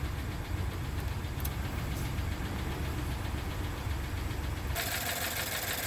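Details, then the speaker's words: 2016 Ford F-150, about 20,733 miles, check engine light and rough running complaint: uneven stumbling idle with tailpipe dollar-bill test confirming misfire, one cylinder with very low compression; a tick also heard. "we can verify that if the dollar bill wouldn't quit curling up on me here that the engine is running with a misfire"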